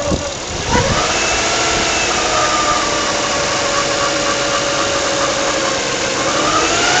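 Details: 1996 Nissan Stagea 25X with the RB25DE engine. A steady, rhythmic mid-pitched whine rides over a smooth idle and pulses gently; the source has not yet been diagnosed.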